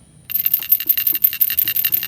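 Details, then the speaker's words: 2013 Toyota Camry SE 2AR-FE, PCV valve shaken by hand: quick, bright, clicky rattles several times a second; new valve's internals move much more freely than the removed old one, whose movement was restricted. "oh I hear the difference this one I and I can feel whatever is rattling inside is a lot more free"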